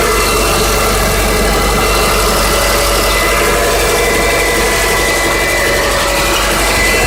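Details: 2005 Subaru Legacy 2.0L at steady idle: a dull, fast knock buried in the engine clatter. Owner asks whether it is rod bearings or piston slap. Engine knock at idle, unconfirmed.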